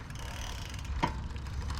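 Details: Lectric XP e-bike lifted off the ground, after the brakes had been rubbing and were adjusted (screw backed off about a quarter turn): a soft steady whir of the freely spinning wheel with faint ticks and no disc scraping. Brake clear.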